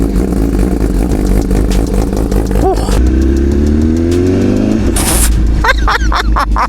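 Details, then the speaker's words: 2025 Honda CBR1000RR-R Fireblade SP with full exhaust, cold start the day after EDR Performance ECU re-flash: catches right away, steady deep idle, no stumble or flat spot. "Right away. Right away. No flat spot. Yeah, man."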